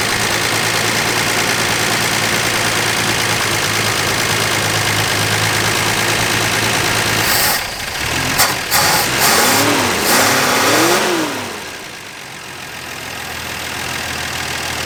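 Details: Dodge Dart Swinger (A-body Mopar survivor) with 225 Slant Six and single-barrel Holley, just revived after sitting: steady, even idle with smooth note, brief handling noise midway; pulling clean gas from tank, fuel line good, motor sounds great.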